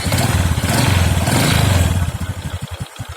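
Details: Single-cylinder motorcycle engine checked after reassembly, following a prior bad rebuild and a piston knocking complaint. It fires strongly, then settles to an even low idle with steady beats and no knock or rattle; runs smooth.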